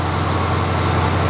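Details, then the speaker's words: Cheap Maserati idling after refitting the thrown accessory belt despite a torn tensioner pulley, air conditioning on: steady even low rumble without belt squeal or chirp; no battery warning light, power steering works. "It's running smooth. That's smooth. I've got no battery warning."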